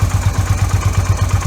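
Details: Yamaha V Star 250 after fitting an electric fuel pump and a manual V-Star 650 petcock in place of the vacuum pump and original petcock: a steady, even low thump at idle with no stumbles or misses. Healthy idle; the carburetor no longer runs out of fuel.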